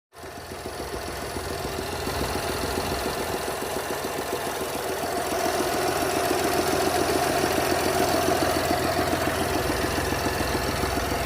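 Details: 2021 BMW X1 hybrid F48 with B38 three-cylinder engine, 50 km; steady idle carrying a fast, fairly even ticking knock about 214 per minute over the hum. Abnormal engine noise, cause not identified.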